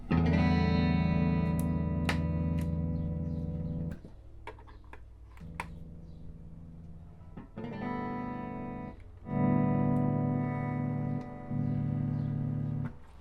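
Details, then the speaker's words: 1964 Fender Concert amp normal channel after cleaning pots and connections to cure crackle: clean sustained guitar chords and notes without crackle, hum or cutting out; background rattle is from the wall, not the amp; channel working normally. "Alright, so everything on the first channel seems to be working normally."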